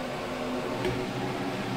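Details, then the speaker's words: Radon mitigation fan running at about 1 inch static pressure with pipe on top, no noise suppressor fitted: a steady hum with low tones under rushing air from the open exhaust pipe. Loud exhaust discharge noise. "There's the noise we got. We'll even do it with some pipe on the top. So you can imagine if that was next to your deck or something like that, that might be annoying."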